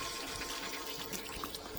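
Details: 2023 Baby Stabi 1550 Frontier boat, bait tank pump running: steady, even splashing and trickling of water pouring into the bait tank; filling normally.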